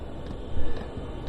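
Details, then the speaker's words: Van diesel heater being repaired, fuel already primed: faint soft ticks about twice a second over a low rumble as the fuel pump pumps evenly; normal, hot air follows. "can hear it pumping away there, lovely. If it fails, it's only because it isn't primed."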